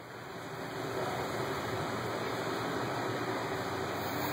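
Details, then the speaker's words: BMW E36 318ti with check engine light and leak diagnosis pump faults: steady airy hiss with smoke from a cracked nipple on the LDP behind the rear side panel, fuel vapor leak in the evap system, gas fumes smelled. "i hope you can hear the leak and it's actually there's some smoke coming out right here whoa oh now you really can see it and that nipple has cracked and it's leaking right there"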